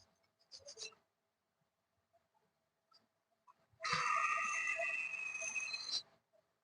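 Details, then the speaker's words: Ceiling fan bearing removed and spun by hand before oiling: dry, scratchy squeak with shrill chirps; grease blackened and dried, bearing dry, needs cleaning, oil and grease; dry bearing squeak. "Bearing हमारी आवाज़ कर रही है, तो इसमें हम जरा सा पहले मोबिल डाल देते हैं। मोबिल डालने से दोस्तों ये फ्री हो जाएगी और आवाज़ नहीं करेगी।"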